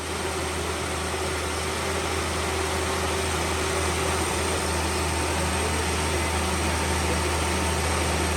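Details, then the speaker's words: 1971 Ford Maverick barn find, 200 cu in (3.3L) inline-six, automatic, stored since 1996 with rebuilt engine, first running on a fuel jug feeding the carb: smooth, steady low idle with an even beat, no knocks, stumbles or smoke. "they didn't even blow any crap out the exhaust it's running off The Jug now for sure"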